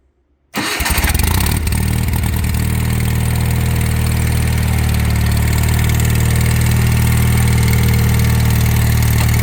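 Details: Wheel Horse 416 Hydro with a 16 hp engine, first start after sitting outside two years with a suspected cylinder full of water: catches within a second and holds a smooth, steady low drone with no skips, knocks or surging; normal running.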